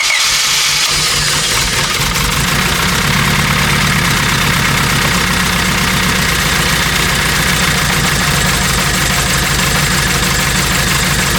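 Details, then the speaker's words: 1997 Honda Civic EX coupe, built turbo D16Z6, after coolant refill and thermostat work: busy, slightly uneven idle that won't settle; wiggling the coil-on-plug wires affects running, pointing to a misfire from a loose coil connector. "I can tell that by moving the wires on the coil on plug system that's definitely got something to do with the car running not as well"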